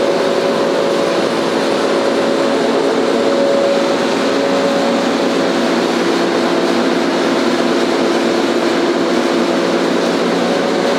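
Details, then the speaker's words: Staiger H15-30 30 hp horizontal grinder with new 15 ft conveyor, running at speed: steady, even whir with constant tone, no knocks or surging; very quiet, slight rattle from the safety door. "It's a very quiet running machine. The little bit of a rattle that you hear is from the safety door over"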